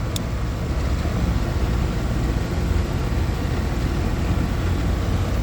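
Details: A/C condenser outdoor unit found not running (bad capacitor), after the repair, close to 100°F outside: steady low hum with an even fan whoosh, no clicking or buzzing. Outdoor fan draws 0.56 A and the compressor 4.02 A; running normally.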